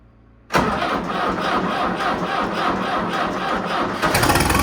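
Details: An MTZ-82 tractor diesel makes its first start on a frosty day with a newly fitted TKR-6 turbo. It catches instantly and settles into an even clattering idle with a thin whistle rising over it: normal idle with turbo whistle.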